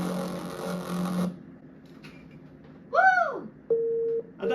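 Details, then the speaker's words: Apple eMac powered on with only one RAM stick after years of sitting. The startup chime comes out warped and sagging in pitch, then flat steady beeps; a distorted chime. Owner has read this may be caused by filter capacitors; unconfirmed. "I got the most distorted and terrifying bong ever. And this is definitely not the first time I've heard these types of sounds coming from an old Macintosh when powering the computer on for the first time after years of sitting."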